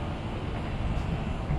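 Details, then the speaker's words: Fire pump diesel engine during test running with a loud, steady drone and rough low rumble, no clear knock; pump warm to the touch at one spot, cause unknown and concerning. "all right there you go that's a little concerning isn't it yeah I don't know why it's warm to the touch right there"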